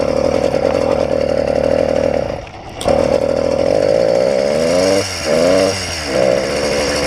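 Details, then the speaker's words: Stock YD100 two-stroke first start after rebuild fixing a piston ring problem, primed, not strapped down: buzzes steadily then sags and nearly dies repeatedly, revs dipping and recovering; stalls as if under load, cause unknown. "it just stalls right out like it's under load"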